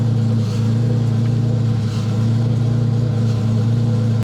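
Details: BMW E30 idling after valve clearance adjustment with feeler gauge, long undriven: steady, even idle with smooth low hum and no ticking or knocking. Normal, healthy idle.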